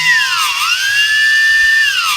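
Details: DJI Phantom 3S after tree crash and compass repair, ground test left-right, forward and reverse: high motor whine rising and falling together with inputs, smooth and even; motors healthy, test passed.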